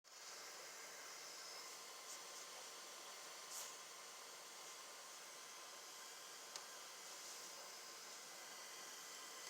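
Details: Leaky pipe: a steady, even hiss with no rhythm or pitch change and little low end, like pressurised water escaping. Cause suspected, not confirmed.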